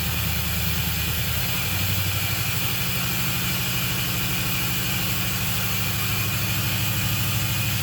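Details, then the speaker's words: Camaro started with the key for the first time after rewiring through the firewall, mufflers and pipes fitted: steady, fast, even idle well above normal. Owner suspects it needs a tune. High idle. "but i i really think it's idling way too high but i think a tune take it to somebody and get a good tune and go from there"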